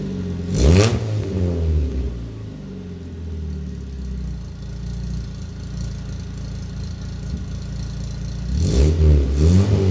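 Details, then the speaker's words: Dodge Neon with new resonator fitted and no muffler: deep throaty exhaust with two sharp blips and steady low burble between, no droning; sounds much better than before, worse once a muffler was tried. "oh hell yeah that's so much better man that sounds good"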